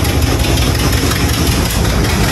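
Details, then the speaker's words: 1986 Chevy Caprice box body: heavy, uneven low rumble at idle with no clean knock rhythm. The owner suspects an exhaust donut gasket leak, exhaust hitting the underbody, and unfixed intake manifold gaskets; not confirmed. "that may be why we hear a lot of that noise too all right back out here just got this thing started i think it's a donut gasket down there"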